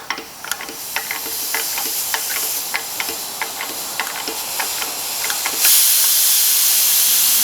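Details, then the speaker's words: Craftsman air compressor about 20 years old, fully pressurized with the regulator cranked to maximum: clicking as the adjuster turns, then a continuous hiss. Air is leaking from under the regulator adjuster, which is suspected to be loose. "Okay, so I've got the compressor all pressurized, and I don't know if you guys can hear it in the camera or not, but it is leaking a little bit."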